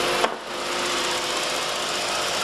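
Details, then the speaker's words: 2006 Volkswagen GLI FSI turbo, after fixing multiple misfires (cylinders 2 and 3, 2 worst) caused by bad direct injectors: even, steady idle, light regular injector tick, no stumble; no codes, no check engine light. Normal idle. "nice and smooth that's a good sign no codes no check engine light vehicles running very smooth customers should be very happy"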